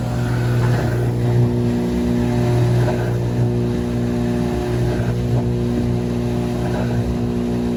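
A loud, steady low roar holds through the whole spin, the classic drone of failing drum bearings.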